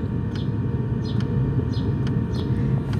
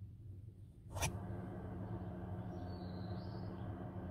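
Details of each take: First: Nakatanenga mobile diesel heater box (5 L tank, about 40 hours) installed in a Subaru Forester 2.0 e-Boxer, 12V lithium supply, running on lowest setting: soft regular ticks about every half second over a steady low roar, normal fuel pump ticking. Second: Nakatanenga mobile Heater Box diesel heater (5 L tank, about 40 hours) installed in a Subaru 2.0 e-Boxer Forester for car camping, running with its muffler removed: a low steady droning hum with a faint chug, unmuffled and loud, showing why the muffler is required.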